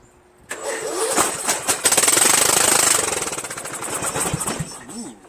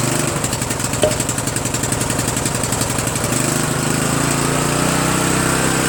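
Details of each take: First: Murray 14.5 42" Widebody LT lawn tractor engine started on choke with carb cleaner spray, muffler off, engine poorly mounted: catches at once, harsh very loud bark about three pops a second, then dies; missing muffler. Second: Murray 14.5 42" Widebody LT lawn tractor single-cylinder engine after muffler refit, carburetor adjustment and choke linkage cleaning: catches and settles into steady even beat, no missing, knocking or exhaust rattle; normal running.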